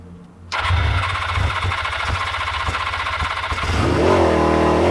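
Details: Old Suzuki GS500 twin, started only by covering the carb intake by hand: it catches after a few cranks, then runs uneven and hunting with a ragged beat, never settling. Poor idle.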